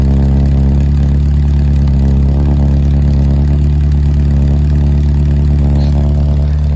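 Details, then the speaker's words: Morris Minor first started after 6 months in storage and refuelled with fresh 95 octane: a steady, even low idle with a smooth unbroken beat and no knocks or stumbles, without missing a beat. "She's cranked. Doesn't sound like she's missed a beat, man. 6 months of sitting in storage."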